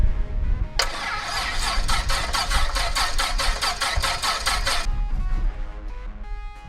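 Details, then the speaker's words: 1962 Piper Comanche 250 sat for years in a dirt-floored hangar: starter cranks in steady beats about four seconds, then it fires and settles smoothly at idle; good oil and mechanical-pump fuel pressure, battery not hooked up; healthy start. "all right so it took some turning but it fired up we got excellent pressure we got good fuel pressure from the mechanical pump"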